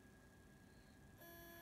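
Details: Hard drive plugged into a hard drive dock and powered on: faint hum, then a short thin beep with no response from the drive. The drive is failing.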